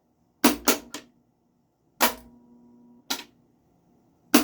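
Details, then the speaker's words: 1985 Pinstar Gamatron pinball, first power-up after low-voltage rectifier board fix and MPU and lamp driver install: sharp separate clacks in short bursts about a second apart, then quiet, ball walker mech looking for balls; normal ball search solenoid firing. "Hey, solenoids are firing. The ball walker mech is looking for balls."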